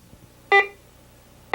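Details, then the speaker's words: 1991 Garrett Ultra GTA metal detector in bi-level audio mode: two short bright steady-pitch beeps about a second apart; higher tone given by silver coins and other high-conductivity targets. "still a third type of audio is by level silver coins and other targets of higher conductivity produce this increase in audible"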